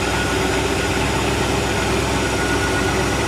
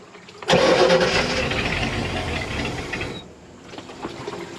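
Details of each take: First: 1986 Shamrock 20 boat, Ford 302 V8 unstarted for 3 years, running again after priming the dry carburetor bowl with fuel pump working: loud, even low rumble, no misses or knocks, water flow good; smooth normal idle. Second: 1986 Shamrock 20 boat, Ford 302 V8 not started in three years: about three seconds of steady cranking that never catches or fires; crank no start, carb bowl dry, starving for fuel.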